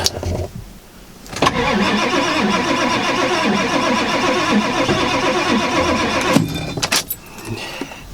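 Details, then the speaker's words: 1995 Ford F-350 7.3L Powerstroke turbo diesel, cold start on ice without jump pack, half throttle: fast steady starter churn about four beats a second for five seconds, no firing; owner suspects glow plugs. Cause suspected, not confirmed. "I know the throttle doesn't matter, guys, but it does for me. I don't think it's gonna start."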